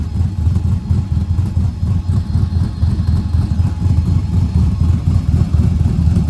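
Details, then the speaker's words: 1937 Diamond T truck idling with the chop tune reinstalled now that the converter no longer rattles when it chops. A deep, uneven, lopey big-cam idle chopping about four times a second with no metallic rattle; running as it should. "So, well, I put the chop tune back in since now the converter doesn't rattle when it chops."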